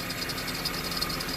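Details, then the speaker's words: Honda CR-V after the separated cat-to-muffler exhaust flange was repaired with a split flange. A quiet, steady idle with only a soft hiss and no puffing or ticking; the exhaust is sealed and the engine runs normally. "There you go. At least this is quiet as a mouse. Not the serpentine belt."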